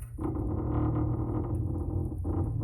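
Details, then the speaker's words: Corner turned by hand with tie rod disconnected, noise persists: low groaning creak in rubbing bursts, pointing to a binding upper strut mount bearing rather than tie rod; lower ball joint next to be ruled out. "with that tie rod disconnected, we still have the noise. So the next thing that we're going to go ahead and disconnect is the lower ball joint, which again could be another potential spot that this noise is coming from."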